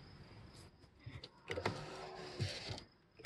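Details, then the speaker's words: 1KIS car revived after deep battery drain, powered from a jump station, key on: steady high-pitched window motor whine runs smoothly, soft thumps as glass starts and stops; power window works normally. "We can roll up windows. We can close sunroofs."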